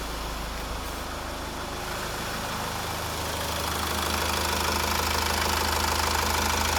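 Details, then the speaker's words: 2000 Mazda Premacy 2.0 diesel with crank-no-start from a faulty fuel pump relay, started after bridging the relay circuit through fuse 20: even diesel clatter settling into a steady idle without misses; normal idle. "Let's try to start the car! It is starting!"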